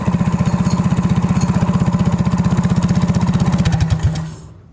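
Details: Go-kart single-cylinder engine, freshly remounted and started with its crank-up starter: even, quick thumping at a steady idle for a few seconds, then it winds down and stops, running smooth.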